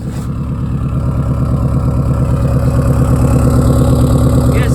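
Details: 2005 Subaru Outback turbo, high mileage, after new turbocharger and downpipe installed: steady, even idle pulse about three per second with deep exhaust tone; no whistle, flutter or knock, healthy.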